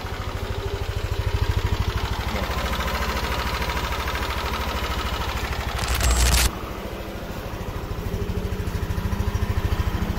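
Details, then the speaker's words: Yamaha NMAX scooter after a fix for engine ticking, engine warm, traction control off: a smooth idle with a steady low putter and the ticking gone. "yan so four bar na yan mainit na yung makina off lang natin yung traction yon y yan tahimik na aan so four Bar and then tahimik na yung makina niya"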